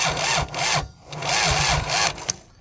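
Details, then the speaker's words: Kubota 3450 tractor, abandoned for years, cranking slowly at about two turns a second without firing; water in the engine or a weak battery suspected; smoke seen from the manifold; slow cranking. "okay it barely moves so it could be tight because it's got water in it or it could be the battery is not very good"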